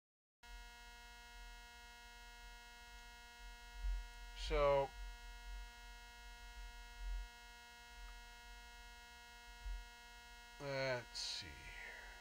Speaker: yeah see that's got definite yeah that's definitely a 60 cycle hum in that 100 percent